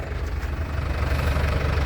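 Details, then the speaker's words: 2016 Isuzu Panther LS Turbo diesel, first owner, sealed factory engine: steady even low idle rumble, no misses; exhaust dry with no oil, no visible smoke, combustion clean. "aman berarti asemnya enggak kelihatan pembakarannya ini sempurna jadi pengabutannya itu bisa sempurna"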